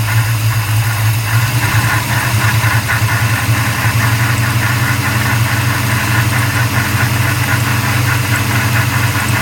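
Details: 1994 Chevrolet Caprice LT1 V8 at idle, recorded under the hood: steady idle with a rhythmic airy whoosh and rubbing sweep that follows engine speed; cause unknown, owner seeking input; whooshing rubbing noise.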